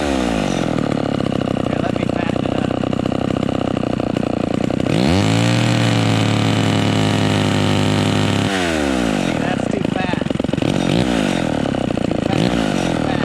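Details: Vintage chainsaw with high-speed mixture screw turned in during carburetor tuning: at full throttle a clean steady high scream with no blubbering, meaning too lean; needs backing off slightly; lean high-speed mixture.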